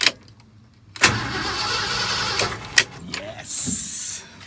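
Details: 1969 Ford F100 Ranger after replacing the starter switch, first start in years: short cranking bursts, then the engine catches with a loud rush and settles, starting properly.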